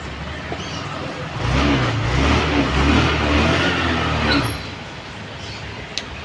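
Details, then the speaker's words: Honda Activa 6G BS6 with no self-start response, after replacing the faulty on/off switch: engine catches promptly on the starter and settles into a smooth idle with no stumble; self-start now works normally. "பார்த்தீங்கன்னா சுவிட்ச் தான் complaint சுவிட்ச் மாத்துன உடனே கரெக்டாவே start ஆகுது"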